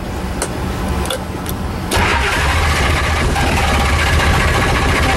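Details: Shelby Daytona cold start after sitting 3 months, battery good, full tank, gas pedal pumped, fuel smell: steady starter churn about three to four beats a second, then a half catch and a rough roar; hard start, long crank, cause unknown.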